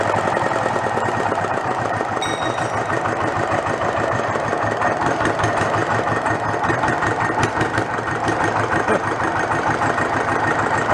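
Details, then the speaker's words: Renault single-cylinder marine diesel revived after about 20 years in a shed, with no exhaust fitted, fuel now through the pump and throttle all the way down. Loud, sharp, evenly spaced pulses at steady speed. Won't shut off without starving the air. Normal, clean running. "more like it there's only one problem i can't shut it off i gotta starve it for air"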